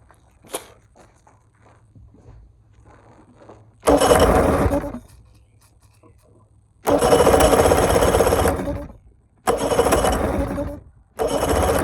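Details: Bass boat outboard after carb rebuild, leaking gas where the fuel enters the carburetor, water pump possibly not working: it catches and runs in uneven bursts, surging and cutting out; rough running.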